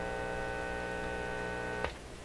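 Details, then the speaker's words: Canadian General Electric KL-96 radio: steady low buzzing mains hum with rich overtones through the audio stage, sounding like an open ground; audio section from phono onward later confirmed working with signal generator. "Now that sounds like an open ground. That's a pretty good audio test signal in itself, even though it's..."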